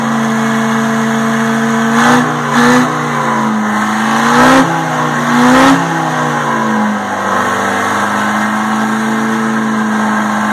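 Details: 1960 Detroit 4-71 two-stroke diesel, ex-telephone-company generator engine said to have only test hours: a strong, even drone with a few clean throttle blips, pitch rising and settling smoothly; owner notes a little smoke at low rpm.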